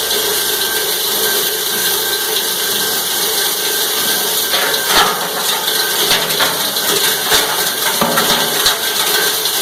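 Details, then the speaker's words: Cumberland 7.5 hp granulator, 12x12 cutting chamber, grinding PVC (Schedule 40 pipe, P-trap, fittings): dense, even high-pitched chopping with sharp plastic cracks over a steady hiss; cutting pipe cleanly, normal plastic granulating. "That's the biggest stuff I had laying around the shop. So we're going to grind that real quick."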